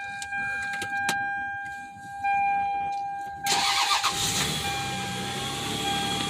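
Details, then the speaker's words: Lexus ES300 V6 after replacing six electrolytic capacitors in the ECU behind the glove box; before, it started and instantly died and the OBD port didn't communicate. It catches on the first quick crank and settles into a steady idle; normal start. "oh yes it was the capacitors this thing used to start and instantly die"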